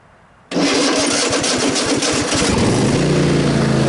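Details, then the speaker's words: Cub Cadet XT1 46-inch riding mower, battery at 12.76 V and climbing: slow, labouring crank with uneven chugs for about two seconds before the engine catches; weak starter suspected, voltage drop test to follow. "then it'll fire it up. That's That seems like a weak starter. Might have an issue here."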